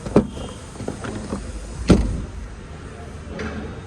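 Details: New Mahindra Thar whose lower tailgate would not close fully and rattled, adjusted three times in two services. After the latest adjustment, two solid clean thuds as the tailgate shuts with no rattle, so the latch catches fully.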